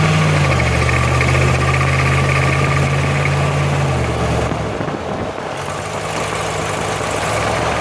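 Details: 2005 Jeep Grand Cherokee WK 5.7, 136k miles, accelerating uphill: a low steady drone under load that shifts pitch with speed. Rear differential is suspected, not confirmed. In stereo, right channel is toward the axle and left toward the driveshaft.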